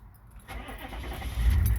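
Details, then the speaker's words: 1994 Chevy K2500 Suburban, 6.5L Detroit turbodiesel, warm start with a new Carter P4601HP lift pump wired to the glow plug circuit: a short crank catches quickly into a deep, steady diesel rumble; healthy warm start. "i have a wire to kick on with the glow plug so it's going to cycle here shortly i don't know if you can hear it through the camera but you can hear it more than the uh"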